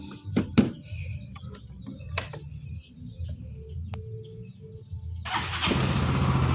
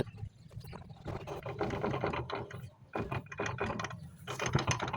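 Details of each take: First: Yamaha Mio MXi 125 FI scooter after transmission gear set replacement: engine starts and settles into a steady, even putter. Drivetrain now good; only the covers rattle. CVT crankcase bearing is also noisy and still awaits replacement. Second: Yamaha Mio MXi 125 FI scooter, CVT and crankcase off, rear wheel turned by hand: loose, uneven ratcheting clatter from the transmission. Gears are loose and worn; noise had appeared on hard acceleration. Transmission gear set to be replaced.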